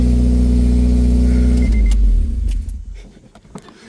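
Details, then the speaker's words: Exhaust leak from underneath a 2006 Honda Civic Si (K20Z3) running with new headers before supercharger install: deep, loud drone with raspy puffing until shutoff; owner expects to weld it. "Let's see how it sounds. This is just with the headers. Oh, we got a fat ass exhaust leak. Fat ass exhaust leak."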